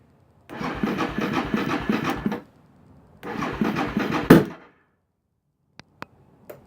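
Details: Suzuki DR650 motorcycle with choke on and petcock switched to reserve: two bursts of steady starter cranking with even compression pulses, but it never catches or fires, only some puffs out the exhaust; crank, no start.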